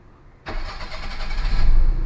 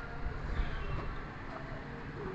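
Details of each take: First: Perodua Kancil after a carburettor change, after timing and aircon idle adjustment: a brief crank, then the engine catches at once and settles into an even idle that picks up slightly, a normal clean start with low timing. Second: Perodua Kancil after carburetor replacement, with coolant, engine oil and gear oil checked: after a pause the starter churns in two bursts at about three beats a second without firing. Cranks but won't start; timing needing adjustment suspected, fuel delivery to the carburetor to be checked.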